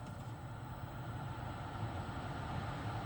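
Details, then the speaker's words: 2013 Toyota Highlander 2WD, 117,000 miles, after blower motor replacement: steady low whoosh of the cabin heater/AC fan at highest speed, even with no clicking or ticking; normal blower operation. "oh yeah my friend it's moving but not excessively I don't think this is too much but this is a normal sound absolutely will be the highest speed oh yeah"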